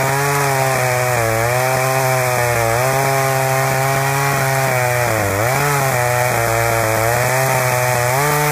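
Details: Husqvarna 61 chainsaw running with tone dipping and stumbling every couple of seconds, a popcorn-like misfire from a loose kill switch wire bouncing in the case and shorting out.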